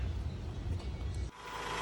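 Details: 1994 Honda Accord with surge and idle complaint: low steady even idle, no surging or hunting; running right.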